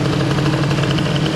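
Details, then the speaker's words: Airsal XT77 kit scooter, first test after the upgrade. The two-stroke idle is steady and buzzy but noticeably fast and even, with no dip: the idle speed is set too high and needs adjusting. "maintenant le ralentit il est trop bien sûr bah oui"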